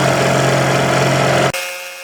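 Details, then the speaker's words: Powered lathe slotter machining slides, small cut: steady mechanical whirr with a constant mid tone from the table drive through the back gears, then stops abruptly; ordinary gear noise. "all noise you can hear when I'm drinking the table Becky's the is the driver for the table then gone through the back years it's a tends to make all the noise"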